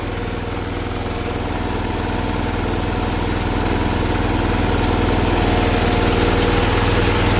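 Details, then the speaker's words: 1980 John Deere 216 lawn tractor, mid-restoration: steady heavy low thrum with slowly swelling loudness, labored and straining at high idle; owner plans to check specs and reset the high idle jet; cause unconfirmed. "You hear that? It's straining to run. I'm going to check specs and reset that high idle jet."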